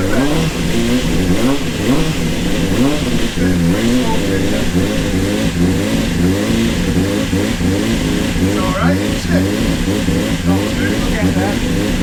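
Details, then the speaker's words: Honda CBR600 with 7,000 miles, first run after standing nine years, garage-revived after a seized, contaminated part was replaced; crisp revs rising and falling, even firing, no misses or knocks, running healthy. "we've picked up the bike and she runs and she sounds Beau beautiful"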